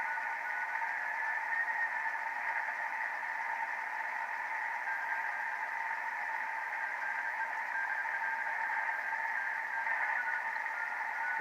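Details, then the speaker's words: 50-year-old Heathkit SB-301 receiver after replacing all resistors and capacitors: steady hiss with a faint keyed tone coming and going, and the meter bouncing to the noise level; normal CW reception, though a dirty switch is still suspected. "can hear that but I'm getting CW and the meter is actually bouncing to the noise level"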